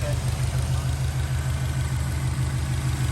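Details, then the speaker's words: 2006 Subaru Outback XT turbo, idling five minutes warming with Motor Medic motor flush added before an oil change: even, low idle with a steady rhythm and no knocks or ticks; the engine sounds good, running smoothly as it warms. "She's warming up pretty nicely, and I'll just show you, I want to show you guys it running so you can hear. So it sounds good."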